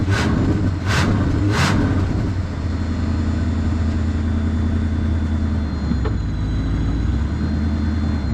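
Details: 1973 Mercury Grand Marquis Brougham, 429 Ford V8, C6, 55k original miles, after replacing fouled plugs and freeing a stuck choke: after a few blips drops to a low steady even idle without racing.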